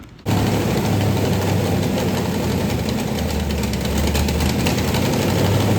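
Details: 1990 Lincoln Town Car, 5.0 lopo short block, GT40 heads, Holley 650 carb, BBK long tubes, first fire: engine catches into a rough, loud idle with fast puffing tick, suspected exhaust leaks everywhere; freeze plug also leaking.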